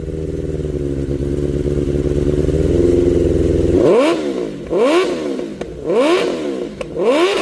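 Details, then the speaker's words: 1992 Suzuki Katana 750F after replacing the coils: even four-cylinder running with crisp throttle blips that rise and fall cleanly; all four cylinders firing, normal running. "The bike did turn on. Everything seemed to be working good. No more spark. All four cylinders are running."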